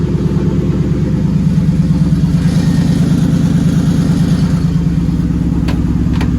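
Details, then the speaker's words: Nissan R33 RB25DET Neo: an uneven, stumbling, lumpy beat near idle, about three pulses a second, as oil pressure drops and the engine starts dying. The power steering pump also seemed to be failing; a cylinder dropped out and the engine was shut off. "Weird as fuck. Just lost a cylinder. Alright, I'm turning that ass off."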